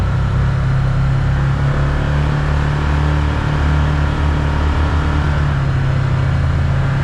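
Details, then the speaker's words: 2022 Can-Am Commander 1000R on a test drive at speed after replacing the chattering, screeching wheel bearing: steady low engine drone with no squeal or screech, so the new wheel bearing sounds healthy. "Before it make an awful screeching noise whenever you get up to speed. Nothing."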